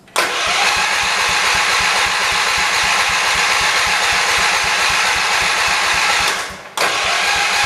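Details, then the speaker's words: 1978 Shifting Gears 208 tractor after a head gasket replacement, with a new battery, gas in the tank and the choke on. The starter cranks with even compression chuffs but it never fires; the owner suspects no fuel or a plugged carburetor jet. "we are either not getting gas or something is uh one of the jets in the car is plugged up that might be our issue sounds like it has compression though which is good"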